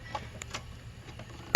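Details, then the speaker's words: Encore Fuzion mower with Kawasaki FR600V engine, no start: one sharp solenoid click and no cranking, on a freshly charged battery with good voltage and a working solenoid. It cranked slowly the day before. Diagnosed as a failed starter motor. "take it start you hear the solenoid click in so my next thought was a bad starter"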